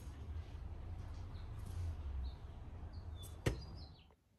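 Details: 1998 C5 Corvette with new belt tensioner, AC belt removed: engine idles with steady belt-drive hum after fitting a new main engine idler pulley, no bearing whirr or squeal; normal idler pulley operation.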